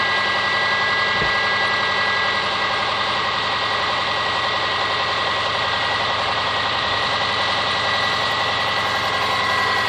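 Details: Subaru Forester SG5 with EJ25 engine at idle: hard, fairly regular tapping under bright metallic clatter; engine knock, cause undetermined.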